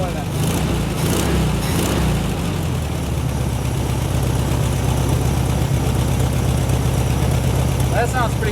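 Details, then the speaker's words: 1972 VW Super Beetle on its first start after wiring repairs, fuel gauge reading empty: a loud, even low chug of a couple of pulses per second, no knocks or misses. Smooth normal idle. "listen to her she curves she purrs"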